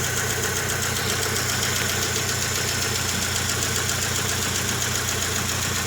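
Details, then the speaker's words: 2000 Rover 75 Club, 1.8 K-series engine, first start after head gasket repair and cylinder head rebuild. Steady idle with a busy, tinny rattle over the top. Rattly first start, cause not confirmed. "So we've just heard that first startup, she was quite rattly."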